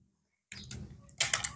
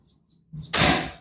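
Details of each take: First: Predator PCP air rifle with inconsistent accuracy, after reassembly with barrel aligned, no shroud: short, sharp cracks with a clean, even snap; normal crisp, consistent shot sound. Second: Predator PCP air rifle with erratic accuracy: a single sharp crack with a short fading hiss, shot loudness varying between reports; the hammer spring is suspected as the cause.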